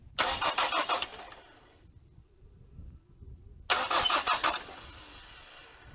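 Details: 1980 Dodge Colt Challenger (Mitsubishi Galant Lambda) after carburetor install: two bursts of starter cranking, each carrying a thin high-pitched squeak over the churn, traced to the number two exhaust valve; cause not yet confirmed.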